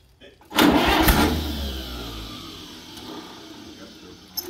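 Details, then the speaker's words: Allis-Chalmers WD45 tractor, sat an estimated 15 to 20 years, just unstuck and given a coil change: catches with a loud pop on a little throttle, then settles into a ragged, uneven low chug that fades; rough running. "well it popped as soon as i gave her a little gas we just got to get it breathing it's been sitting for how many years do you think at least 15 or 20."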